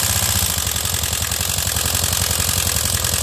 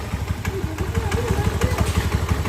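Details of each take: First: Honda Beat scooter that stalls and idles heavily, engine recently overhauled, oil sprayed in spark plug hole; harsh clattery rough idle with lots of mechanical rattle, problem suspected in the engine or decompression, not the CVT. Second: Honda Beat scooter single-cylinder engine, after engine rebuild and oil filter cleaning (previously stalled with heavy idle), idles steadily with evenly spaced low thuds, no knocks or ticks; sounds healthy.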